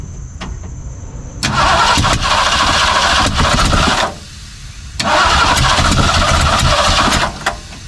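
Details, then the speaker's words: 1964 Ford 289 V8 in a 1962 Mercury Meteor, first start attempt with distributor frozen in place, fuel and spark present: two long cranking bursts with a few uneven catches, never runs; crank no start, owner suspects timing or condenser. "it sounds like timing to me you got gas now what was spraying gas with spring gas let's see let's see this is definitely a timing issue at this point"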